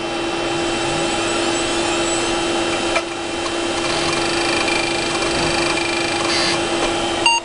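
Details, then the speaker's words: Western Digital Caviar 21200 1GB IDE hard drive, restarted before it fully spun down: steady spindle hum with light, quick seek chatter and none of the usual repeated click. A normal startup seek test. "that's what it's supposed to sound like right there"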